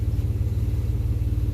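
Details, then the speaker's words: 1995 Chevy Blazer 4.3L V6 idling slightly fast (about 700+ rpm vs 650 desired) with a rapid, even low puffing from an exhaust leak through holes in a poorly done third-party weld where the catalytic converter was cut out. "Obviously, you can hear exhaust leak. I think the guy that's welding it probably used a little practice on welding."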